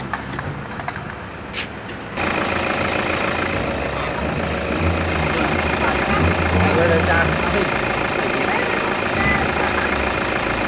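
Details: Toyota Fortuner diesel with black smoke catches and settles into idle with a hard, regular knock three or four times a second; knocking at idle, cause unknown.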